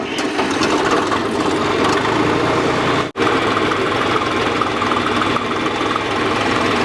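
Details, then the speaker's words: 1948 Chevy half-ton pickup engine, which sat about 58 years and was locked up before being freed: running with a busy, rapid knocking that keeps time with engine speed. Owner identifies it as a rod knock. "but we did get it running but something sounded off it didn't sound bad except for that noise yeah it had a rod knock but we rolled with it anyways"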